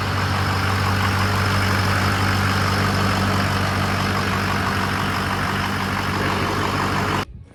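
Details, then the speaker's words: Freshly rebuilt diesel engine first fire-up, high pressure oil about 88 psi holding, idling at full operating temperature until shut off: steady, even idle with smooth low rumble, no knocks or misses; normal idle. "well it's all the way at the temperature I just killed it"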